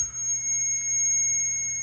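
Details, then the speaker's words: Multimeter continuity check on a Hesston 4900 baler wiring plug during electronics diagnostics: steady unbroken high-pitched beep over a quiet room; continuity, circuit closed. "But on this one, when I checked this half of the plug, it made noise. This one was fine."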